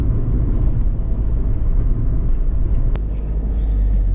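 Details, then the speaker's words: Rover Streetwise 2.0 turbo diesel, window open while manoeuvring at low speed: low, steady, agricultural diesel clatter, even and pretty smooth; owner notes it is a bit juddery at idle and suspects an engine mount: normal diesel engine running. "So manoeuvring at low speed, the engine does sound. I've got the window open deliberately, hoping that you can hear the agricultural sound of the engine, but it's pretty smooth."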